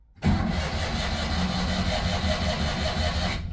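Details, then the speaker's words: 1982 Citroën 2CV flat-twin, unused about 8 months, cold start: strong, steady starter cranking for about three seconds without firing because the choke was not set. "strong crank for that amount of time oh hold on hold on it's been that long I forgot it's got a choke"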